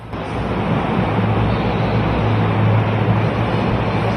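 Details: Ceiling fan in a mosque hung lower on a properly shop-made downrod instead of a bent rod and S-hook; steady low hum, even level, no ticking, rattling or wobble knock; normal quiet running after refitting.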